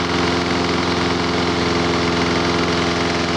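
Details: Lawn mower gas engine, brought in not running with very weak spark, putters at steady idle with no rev change during WD-40 spray on intake gasket; gasket sealed, no air leak. Normal idle.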